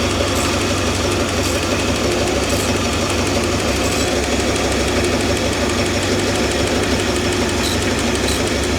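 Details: Old Ford 260 V8 with poor oiling, ATF and Marvel Mystery Oil added: fast light tapping keeping time over a rough steady idle; lifter knock, lifters to be replaced.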